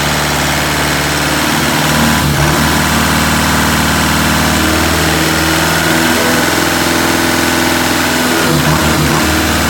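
Diesel idles unevenly, the beat wandering and lumpy instead of steady, with a couple of rough stumbles; rough running, cause not pinned down. Cause suspected, not confirmed.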